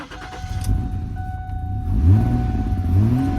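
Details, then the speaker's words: 2010 Ford Edge with crank-no-start: with starter fluid sprayed at the throttle body the engine fires and runs roughly, revs rising and sagging, then dies, pointing to a fuel-supply fault rather than electrical. Cause suspected, not confirmed. "so mine starts and it will die off when that happens you should know that you don't have electrical problem but you have a full problem"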